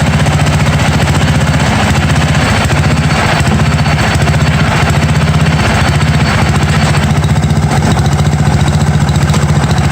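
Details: 1982 John Deere 108 mower with a different carburetor fitted, first start: loud single-cylinder putter with uneven, stumbling beats that never settle. Runs rough; jet adjustments did not help and owner says the carburetor needs replacing.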